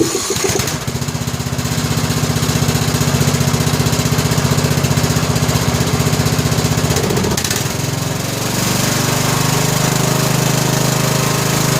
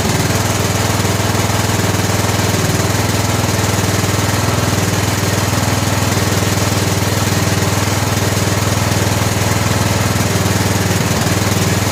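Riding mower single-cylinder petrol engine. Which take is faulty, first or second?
second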